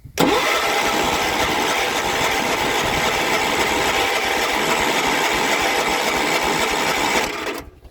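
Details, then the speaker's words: Cold riding machine, full throttle, choke cable seized, brand new carburetor and fuel pump, no starting fluid; steady starter churning about seven seconds with no catch; cranks, no start, owner suspects fuel pump lost its prime or can't re-prime. "yeah this one there's something going on i don't know why it's a brand new carburetor brand new fuel pump it's just given difficulties lately i don't know if it lost its prime or it can't re-prime itself"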